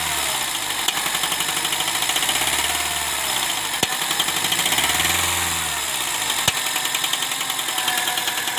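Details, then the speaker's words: Honda Civic Hybrid with codes P1024 (valve pause system stuck on) and P0300–P0304 random misfires. A harsh, busy idle with loud rocker/valvetrain clatter and faint ticks, noise growing louder on acceleration. "गाड़ी की आवाज़ आपने सुनी है की ID पर जब घड़ी होती है गाड़ी तब भी काफी आवाज़ ए रही होती इंजन में से और जब एक्सीडेंट करते हैं तो जो आवाज़ है इंजन की ये और भी बढ़ जाती है"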